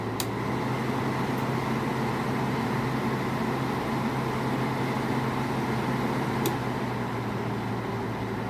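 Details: General Electric 5,150 BTU window air conditioner with an LG compressor (rebranded GoldStar), switched from low to high fan: a steady, even rush of air over a low, constant hum, with no rubbing or rattle. The fan runs normally on high.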